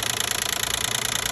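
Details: 2012 Nissan Maxima 3.5 L engine at steady run: quick, regular metallic ticking, roughly twenty per second; owner suspects the intake bracket.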